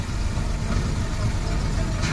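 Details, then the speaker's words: Maruti Omni, intake vacuum pipe cracked/split and removed for demonstration: heavy, uneven shaking idle that lumps and wavers, engine vibrating hard; smooths out once pipe reconnected; on a gas kit it vibrates rather than revving up; rough idle from vacuum leak. "अगर ये pipe leak हो जाएगा तो engine इस तरीके vibrate करते देखो लगाते ठीक हो जाएगी गाड़ी।"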